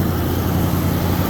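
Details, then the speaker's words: 1976 Ford Bronco V8 with automatic transmission, running during its tear-down: an even, deep, steady rumble with no misses or stumbles. The engine runs smoothly, firing on all 8 cylinders. "Engine's pretty smooth. We're now hitting on all 8 cylinders."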